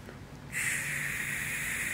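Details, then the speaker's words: 2004 Subaru WRX burning oil through the exhaust: removed PCV valve blown through by mouth gives a clean, steady hiss of about 1.5 seconds ending in a soft click; flows one way as it should, so ruled out as the leak. "another thing I was checking just to kind of rule it out as well is the PCV valve itself I pulled that off the best way is to just blow through it through one direction you can hear it there"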